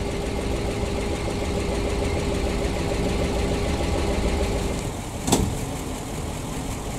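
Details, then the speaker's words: PAZ-672 bus GAZ V8 idling after valve adjustment and new valve covers, no leaks: soft steady low rumble, no knocking, one brief click near the end; earlier knock gone, normal idle. "Мягенький, красивый звук работающего V8. У нас никаких утечек нету."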